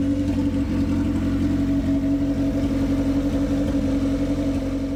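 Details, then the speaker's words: 1991 Civic with a newly installed B18 engine, first runs after fixing the injectors and replacing the fuel pressure regulator, started by jumping the starter signal wire. Smooth, even idle drone with no misfires or stumbles: normal idle. "but if I jump that wire it does start right up and run just fine as you can hear"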